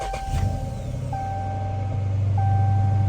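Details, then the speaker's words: 2017 Dodge Charger V8 Hemi ex-police car at auction, 160,000 miles, started to check for the Hemi lifter tick, AC just cooling so likely a cold start; deep steady idle, no ticking, faint background tone; healthy idle, no lifter tick. "I don't hear it. I do not hear it."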